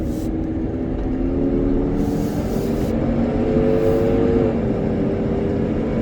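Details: Ford 6.7 Powerstroke diesel truck with 56,000 miles, coasting at about 1500 rpm on the engine brake with the fan at 2000 rpm. Loud, steady droning roar because the viscous fan clutch is stuck engaged, a fault the owner notices mainly on the interstate.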